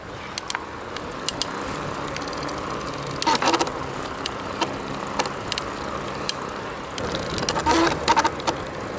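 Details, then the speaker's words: BBSHD mid-drive e-bike motor while riding: irregular clicks and short rattling, squeaky bursts when pedal assist kicks in with cadence slower than the motor; silent on throttle under torque; intermittent motor noise under pedal assist. "so when the motor's kicking in it oh God and the Cadence is just a bit slower than the the motor under torque and under throttle there's no noise whatsoever"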